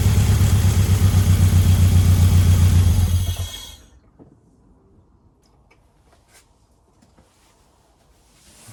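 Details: Ford Escort Cosworth turbo petrol during road-test preparation: a heavy, uneven, lumpy thrum for about three seconds, then shut off. It has developed a misfire on cylinder 1, cause not yet confirmed.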